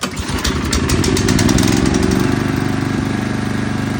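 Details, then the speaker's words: Toro Turfmaster mower after a carburetor replacement: catches, revs up, then settles into an even, steady chuffing at about three and a half beats a second. The earlier no-start is confirmed fixed by the new carburetor. Normal running. "probably had to wait for some of the gas to circulate through it or something."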